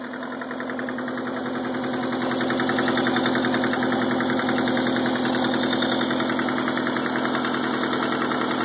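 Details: Subaru EA81 engine at idle, runs well with no missing and smooth idle, oil pressure good per gauge: sharp, regular knock about two to three times a second over the engine; loud knock of unknown origin.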